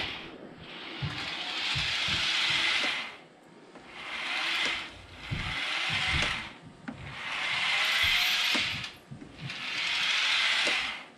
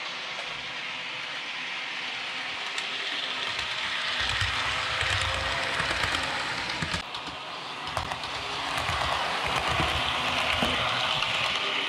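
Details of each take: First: Realtrack Class 156 model train (RT156-312), powered bogie tested on its own: a shrill squeal that rises and falls as the motor runs in one direction only, silent in the other; suspected dry wheelset bearing. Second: Realtrack Class 156 model loco (RT156-312) after axle repair, on the layout at slow and fast speeds: light even whirring of motor and wheels rising and falling with speed, no squeal; fixed.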